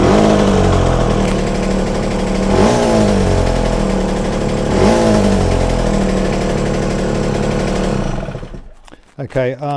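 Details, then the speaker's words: Yamaha TZR 250 3XV two-stroke twin run on one cylinder while setting the air screw: choppy uneven idle about 3.5 beats per second; screw turned till it began dying, backed off half a turn, picking up cleaner. "think that's picking up cleaner now um you know so I turned the screw and it started to die a little bit and so I backed off half a turn"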